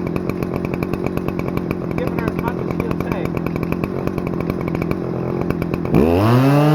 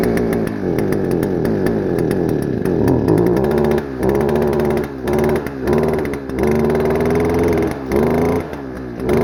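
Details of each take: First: Stihl FS-250R 40cc two-stroke trimmer after a carb rebuild kit replaced the hardened diaphragm, on 50:1 ethanol-free mix: high, even full-throttle buzz with steady firing, then revs fall away cleanly; revs pretty high, runs great after the repair. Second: Stihl FS-250R two-stroke trimmer, long stored with old gas, carb diaphragm hardened, before rebuild, cold rainy day: revs surge and fall back in short bursts with dropouts, never reaching a high scream, smoking; running rich, poor revving.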